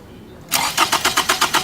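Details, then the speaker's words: Fuel injector heard through a stethoscope touching it while cranking with the ignition disabled by pulling a fuse: crisp, even clicks at about five per second. The injector is healthy and firing normally. "so you're listening for like a ticking clicking sound coming from the injector itself it's a very distinct sound you'll definitely deer it if you've got a good injector"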